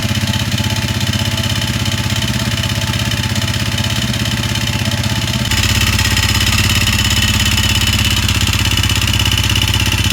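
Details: Honda CRF250L (same engine as Rebel 250/CB250R), 3851 km, noise growing since new and now stalling: sharp rhythmic clatter about 200/min over the idle thump; top-end combustion damage from abnormal burning of stale fuel.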